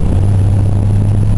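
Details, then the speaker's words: 1998 Buick Park Avenue with over 200,000 miles while driving: a steady, deep low drone from the tailpipe with no rasp or ticking. This is an unusually loud exhaust. "I got a pretty loud exhaust I don't know if you can hear it very"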